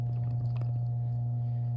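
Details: 1938 GE 12-inch oscillating fan, catalog 49X929, after base rewiring, bare motor test without blades on low speed: smooth steady low hum, no rattle, scrape or wobble; runs cleanly; normal.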